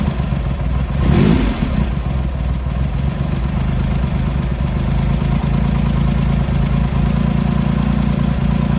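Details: Triumph X75 Hurricane, rebuilt carbs just refitted, cold on half choke at throttle stop: low, lumpy idle with uneven beat and occasional missed firing; pilot screws thought set 7/8 out, carb tuning/balancing suspected, not confirmed.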